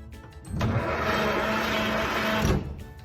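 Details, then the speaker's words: 1927 Stutz AA, not started in over 40 years, cranked via the start pedal with the spark plugs out: about two seconds of fast even whirring with no compression pulses; the starter works and needs no rebuild. "it turns over the spark plugs are out that's why it's turning over so easy"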